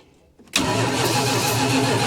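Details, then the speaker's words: 1977 Dodge motor home, 440 V8, long-sitting, cold day, choke closed, brake cleaner sprayed in as starting fluid: starter spins the engine at a steady even pace but it never fires. Crank, no start. "far come on nothing nothing nothing nothing a whole lot of nothing"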